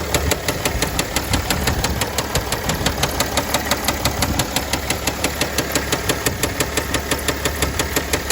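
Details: 2009 Mercedes ML320 with 642 diesel idling with a sharp, steady, deep bottom-end knock about three per second; began after a 4-hour drive following an oil change with no oil on the dipstick; rod knock suspected, not confirmed.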